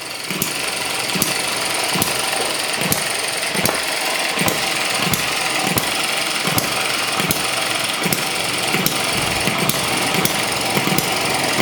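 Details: ET6 model hit and miss engine from Banggood on fuel with two-stroke oil, running after the HT lead problem was sorted: sharp regular firing bangs a bit over one per second, clean gaps, no stumbling; normal hit and miss running.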